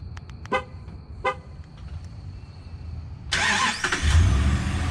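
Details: 2012 Dodge Ram 1500 Hemi, remote start enabled via AlphaOBD, triggered from the key fob with doors locked: two short horn chirps, a pause, then the starter cranks and the engine fires up; remote start working normally.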